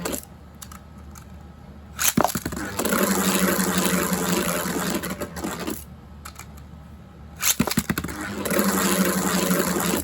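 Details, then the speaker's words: Non-attack-type Beyblade being balance-tuned, with its tip flipped to a different orientation: even scraping whir that rises and fades over about three seconds with no harsh rattle; the top sounds balanced and is spinning clean. "Okay, that doesn't sound too bad. And since it's not 85 attack, it doesn't really matter too much how clean it sounds against that ridge, but let's try flipping it back to the original orientation."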